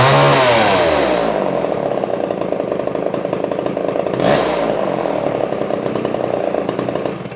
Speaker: Turned out to be a really great saw.